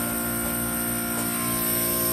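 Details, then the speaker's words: Old Scotsman ice machine in freeze cycle: steady whistle over the hum as high-pressure superheated gas leaks past the hot gas solenoid valve, which no longer closes, into the low side; the inlet line reads 107 degrees instead of cold. "also you can hear that like whistling noise that's the sound of really high pressure superheated gas getting back into the low side and that's happening"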